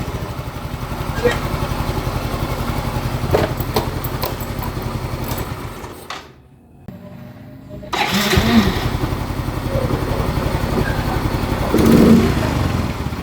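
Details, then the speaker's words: Yamaha Mio M3 125 scooter after repair (TPS adjusted, throttle setting restored, valves set): clean idle, brief drop, crisp rev with no stumbling. It starts instantly, holds steady idle, no sputter, good power. "Jadi pas di e starter juga dia langsung hidup langsung langsam stasioner di gas pun enggak ada berebet tenaganya pun ada"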